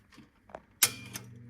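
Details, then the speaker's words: 1958 Motorola (Voice of Music) record changer after its spring retainer was removed and replaced with a solid nail: sharp snap, then low hum with light clicks every half second; changer mechanism noise microphoning through the stylus, no longer damped. "hear that that microphoning that you're getting um was originally dampened by this type of spring they used or the the spring retainer"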